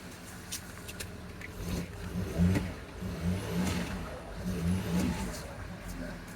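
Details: 2009 Land Rover Discovery 3 diesel, 150k miles, after first start following DIY timing belt replacement, before coolant bleeding: low note rises and falls smoothly through light throttle blips, no rattle or slap; revs cleanly.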